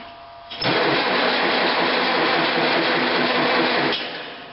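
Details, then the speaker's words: Farmall Cub tractor on 6-volt system, cranking in neutral with clutch pedal held down, ignition off: brisk, even starter cranking for about three seconds with steady regular compression pulses and no dragging. "not too bad"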